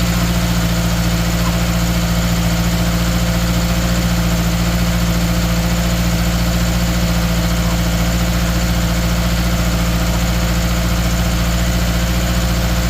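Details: 2013 Subaru Outback 2.5 with a cylinder 3 misfire: a steady idle with a low, regular stumble about three times a second over the engine drone. Single-cylinder misfire at idle.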